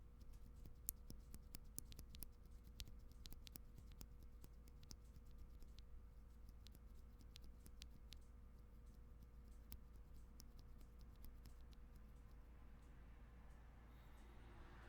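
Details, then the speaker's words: Tangerine MX-style linear keyboard switch on an 8X MKII TKL build: sharp, irregular metallic ticks when pressed over a low room hum; the leaf is believed to cause the ticking. "so normal switch if i don't trigger the ticking compared to you guys hear that there's like a metallic sound you're supposed to make that noise no so almost all linear switches mx-style linear switches have that problem some are more pronounced than others see this one is especially bad"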